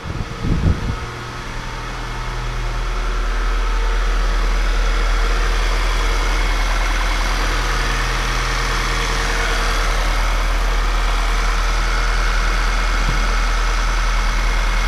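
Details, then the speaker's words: 2014 VW Tiguan R-Line first start after rear main seal, valve cover, upper timing and vacuum pump seal replacement following PCV valve failure: smooth, even idle with steady low hum, no knocks or ticks. "I think even sounds better pretty much unbelievable"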